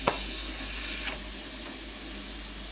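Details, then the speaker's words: Breville Dual Boiler BES920 steam wand: strong, steady, unbroken airy hiss; dedicated steam boiler up to pressure and working properly. "You have steam ready at all times because it has a dedicated boiler, obviously."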